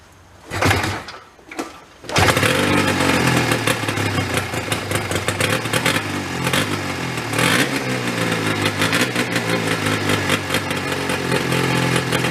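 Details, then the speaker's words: Homemade golf cart with Yamaha 440 snowmobile engine, long-sitting: couple of failed cranks then catches on choke to flat buzzy idle; won't rev up off choke. "it's like an idle it's a joke off it doesn't want to rev up yeah so I'm gonna try to Baby the throttle"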